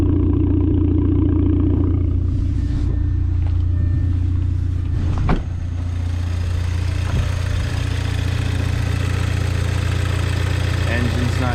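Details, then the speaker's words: 2004-2007 B7 Audi A4 2.0 turbo, 107K miles, just after replacing spark plugs and coil packs for misfiring from a bad coil: steady, even low idle hum with no skipped beats, light handling clicks over it; smooth on all cylinders. "Sounds smooth. Love it when it's an easy fix."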